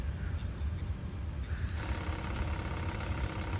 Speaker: Stall warning test. That's what that noise is. Stall warning.